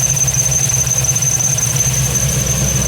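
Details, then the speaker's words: Freshly completed exhaust, car idling in neutral and much quieter: thin, steady high-pitched belt squeal over the engine rumble, from a loose belt on the manual tensioner that needs tightening. "I got a little bit of belt squeal manual tensioner I got to tighten it"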